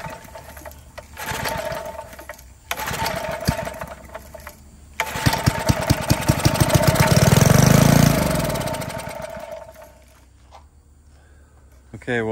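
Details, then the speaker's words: Barn-fresh 1951 Briggs & Stratton 6B-SF, 1.75 hp, 3600 rpm, first start attempts on fresh fuel: fires in ragged bursts, surging and dying, never settling; fuel starvation, owner unsure if the tank pickup tube is working. "definitely a runner but we've obviously got a fuel issue i don't know if that pickup tube is not working or what"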